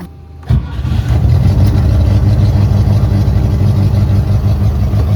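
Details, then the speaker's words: Sailboat gasoline engine after manual priming with gasoline through the flame arrestor into the choke throat: it catches and settles into a steady, even low rumble with no stumbles or misfires. Running again after troubleshooting. "Okay, so this is success. Engine is running again. That's good news."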